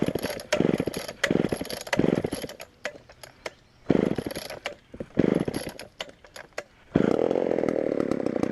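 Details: Auction-bought Homelite Super XL chainsaw first start on secondhand non-ethanol boat fuel: uneven bursts, revs flaring and dropping, never settling low; lean on the bottom, needs carb adjustment or diaphragm to soften.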